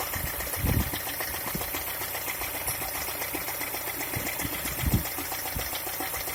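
Light, fast ticking knock over a steady idle with a couple of heavier thumps; the engine is knocking, cause not yet identified.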